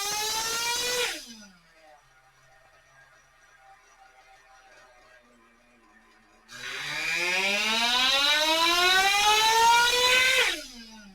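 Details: Ielasi Terra .21 RC nitro engine with 2186FT pipe on a dyno, full-throttle pull: high buzzing scream climbing smoothly in pitch without sputter or hesitation; running cleanly.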